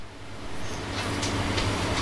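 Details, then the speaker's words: Radio-communication microphone preamp with echo/delay and compressor set to maximum compression: during silence, hiss, fan and room noise swell up as the automatic gain rises, which is noise pumping from excessive compressor gain. "Kemudian, desisan ini terjadi karena penguatan (gain) meningkat secara otomatis, bukan karena angin, tetapi karena penguatan naik secara otomatis, sehingga level audio di sekitar saya ikut terdeteksi."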